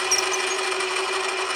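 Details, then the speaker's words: Hand milling machine at 720 rpm cutting a part for a 5-cylinder rotary steam engine: steady, even cutting hiss with a constant tone and no chatter or knocking; conventional milling feels better for the machine than the earlier climb cut and runs smoothly. "And you can hear the difference in that once I start engaging the cut. I think this is the better way to cut for the hand mill. RPMs are 720. Nice and smooth with that one."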